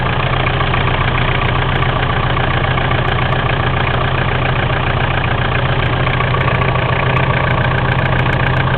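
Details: Mitsubishi 4M40 diesel at idle: a loose, uneven knock about three times a second over the steady clatter; engine knocking, cause not yet found.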